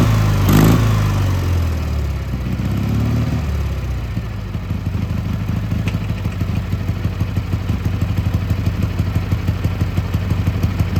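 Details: Gravely G-16 twin (late 80s–90s, owner unsure of year), revived after sitting a few years, running on its own fuel while driving: steady, even beat about three firings a second, no knocks or misses; runs and drives well, smokes a little, normal running.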